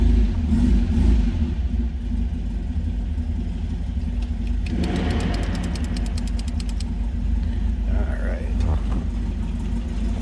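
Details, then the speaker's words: 1971 MG MGB inline-four, about 57,000 believed-original miles, new carb, just after cold start: steady low idle with a light throttle blip and faint ticking, sounds as expected, no wild exhaust; healthy engine. "Sounds like you'd expect out in line 4. Nothing crazy. No wild exhaust."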